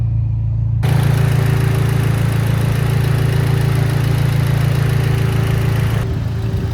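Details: Rebuilt, machine-shop-built 2.0 L four-cylinder, possibly a Mitsubishi Evo X, idling steadily with a light even valve-train tick about four times a second. Hydraulic lifters bleeding off pressure suspected; not confirmed.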